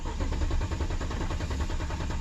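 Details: 2007 BMW 750Li, repeatedly dead battery charged incorrectly: steady, even cranking thumps with no catch and no fuel pump hum, crank-no-start from immobilizer lockout; fixed by realigning EWS to DME with a scan tool.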